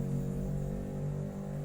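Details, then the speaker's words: Hand-wound 5A double-CT 940 W box transformer, finished secondary (47 V double CT) powered up on mains: steady, even low hum with no buzzing or rattle; energised and humming normally under test. "Saya kasih tegangan dulu. Trafo sudah hidup."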